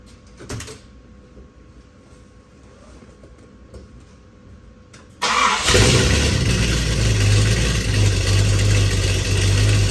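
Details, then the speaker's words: Ford 390 FE big-block V8, new stainless exhaust with H-pipe and Black Widow mufflers; quiet start, then strong, even, deep crisp exhaust rumble; normal running. "I'm not sure what that sounds like on camera but that sounds a really crisp good sounding I like how the hpip Mellows it out just the hair sounds really good"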